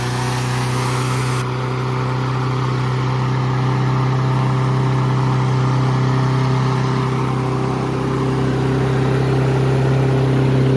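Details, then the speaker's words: Troy-Bilt mower with Honda engine, first run after carburetor cleaning and draining water-contaminated fuel, previously would not start: runs fast and steady with a constant high drone, never settling; idle speed too high, needs adjusting. "High RPM, we should adjust it. Okay."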